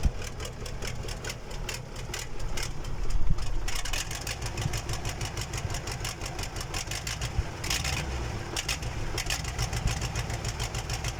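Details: KamAZ diesel engine on its first start after a major overhaul: it catches and settles into a steady low idle with light, even clatter and no knocks or misses. Normal idle.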